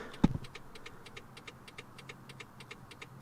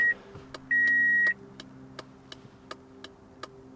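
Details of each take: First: 2004 Toyota Corolla after fitting LED front turn-signal bulbs: quiet, fast, even ticking from the in-cabin flasher relay, about five per second, as the flasher reads the low-draw LEDs as a burned-out bulb; turn signal hyperflash. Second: 2004 Toyota Corolla with LED turn-signal bulbs, after replacing the flasher with an LED flasher: a short chime, then even relay clicks about two per second in a quiet cabin; hyperflash cured, normal turn signal flash rate.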